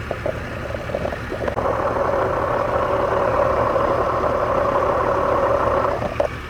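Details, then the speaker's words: 1999 Toyota Tacoma at idle, P0305 misfire, microphone held to a stethoscope earphone on the fuel injector: only a dull steady hum, no crisp rhythmic ticking as heard on a good injector; injector judged bad. "All right, you can tell there's nothing there at that fuel injector. All right, so it looks to me like this fuel injector is bad."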